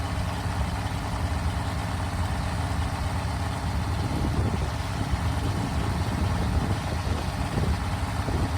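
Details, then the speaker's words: 1974 Mopar 400 big block built for 500 hp, Comp Cam, first start and break-in on engine stand, warming to about 140–155°F: steady idle with sharp ticking puff over the rumble from an exhaust leak at the header collector; better gaskets planned. "you could probably hear in that one video had an exhaust leak going right through here and that header collector uh I know what I need to do to fix it so it was making a little bit of Racket there"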